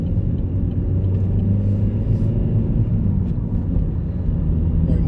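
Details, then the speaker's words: Car on a test drive after replacing a badly worn rear wheel bearing, suspected passenger side: only steady, normal tyre road rumble, no droning or humming. "That bearing was pretty knackered. Nice and quiet. Just the normal tire road noise down."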